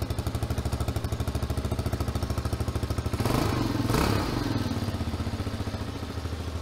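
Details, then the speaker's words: 2021 TaoTao TBR7 229cc single-cylinder dual-sport motorcycle after rejetting the stock carburettor, warmed up a little on a ride: crisp, even bark, pulls cleanly through a quick rev rise and settles back; normal running. "woohoo doggy she's ripping with the new jet baby wow this thing's a beast you can hear it's idling pretty high now"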